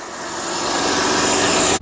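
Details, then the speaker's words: 2006 Mercedes-Benz E350, M272 3.5L V6, start-up after engine air filter replacement, listening for whistling air leaks: smooth engine run rising slightly with a faint steady airy whir, no whistles or hissing; secondary air injection pump heard; normal running. "now what you're going to do is you're going to listen for any engine noises any weird whistling sounds which could indicate an air leak so all is looking fine to me right"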